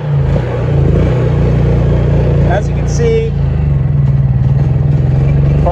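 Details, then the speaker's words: Honda EU3000is inverter generator that sat unused, dead battery, pull-started on partial choke: speed rising and sagging unevenly, dies with choke pushed in; surging from old stale fuel and dirty carburettor. "this thing's been sitting a little bit the battery is dead so uh fortunately it does have a pull start on it no nothing going on there with the electric start thank you and there's that Surge and"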